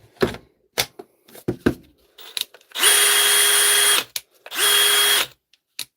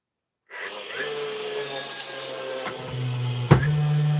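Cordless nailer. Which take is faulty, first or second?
second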